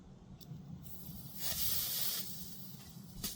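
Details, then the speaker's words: Mini split under full system pressure, system off, valve core removal tool valved off: single short hiss under a second as the small trapped refrigerant between valves vents; normal. "That's that little bit between here and there. That's the pressure was under there."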